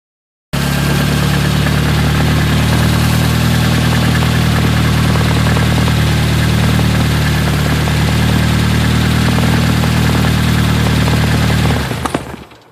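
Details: Nissan KA24DET turbo engine making about 400 hp: deep steady run with dull, fairly regular knock about four per second over exhaust drone and turbo spinning; possible rod knock suspected.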